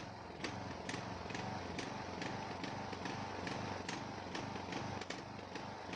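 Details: Ariens 42" geared riding mower, 17.5 hp Briggs & Stratton (31C707), Nikki carburetor, long neglected; after new fuel filter and fresh gas, fuel flow fine: lumpy running, irregular stumbles about twice a second, won't idle smoothly; carburetor suspected, unconfirmed.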